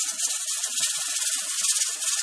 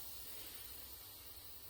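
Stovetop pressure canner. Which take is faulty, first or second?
second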